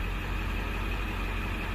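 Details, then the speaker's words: 1999 Ford F-250 7.3 Power Stroke diesel after repairs, running about 10 minutes, IPR low, injection pressure 540-550: steady, even idle with a smooth low rumble, no knocks or misses; engine runs healthy. "all right so now our ipr is real low which is good our injection pressure is 540 to 550. it's looking good"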